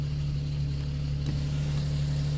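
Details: Nissan 370Z being rebuilt after a wreck, first start after repairing the fuel pump assembly: steady, smooth low hum with an even firing note, no misses or knocks; idling cleanly.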